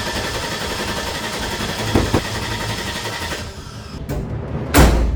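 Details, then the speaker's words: Abandoned 2003 Land Rover Discovery 2, after new inertia switch and cleaned catalytic converters, previously running: starter churns steadily several seconds but never catches; seemed fuel-starved; crank no start, cause not confirmed. "That is not good news. I am not sure why it's not starting."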